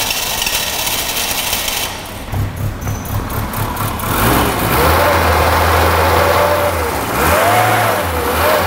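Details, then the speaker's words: Classic Mini Clubman campervan, first start after a burst fuel tank, with the tank pressurised by mouth to push fuel to the pump: after cranking it catches and idles slightly lumpy and uneven, with no tapping or knocking. "it's running a bit lumpy but it sounds sweet mechanically there's no taps or bangs or anything no it sounds nice ace what a relief"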